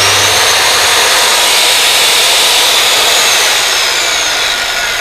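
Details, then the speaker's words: Bosch GKS130 7-inch circular saw, brushed motor, running with no load: loud, steady high-pitched whirr with an even hiss, the normal sound of this model. "ก็เป็นรุ่นแปลงถ่านนะครับมันก็จะเสียงดังแบบนี้แหละครับจะเป็นธรรมดา"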